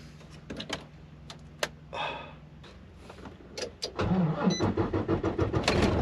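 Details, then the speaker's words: Volvo truck diesel in Canadian winter cold, battery too low to run the bunk heater and drained before: starter drags sluggishly before the engine catches and runs roughly; slow cranking from low battery, which then charges from 10.7 toward 13.5 V. "I-start natin ang truck. Sana ma-start niya kasi naglubat nga nung nakaraan."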